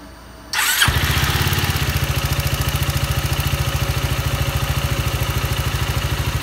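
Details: Yamaha Maxam (Magzam) scooter starting and idling: loud, even pulsing tap about three times a second; abnormal engine noise, cause not stated.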